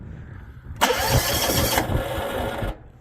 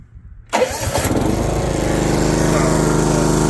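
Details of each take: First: Old John Deere GX75 riding mower that sat 8+ years, old fuel flushed and a borrowed battery fitted, first start attempt with brake on: cranks, sputters and catches about two seconds, then dies. It needed choke. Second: Old John Deere GX75 riding mower that sat 8+ years, old fuel flushed and a borrowed battery fitted: brief crank, then catches and settles into a steady, even putter on choke. Normal cold start.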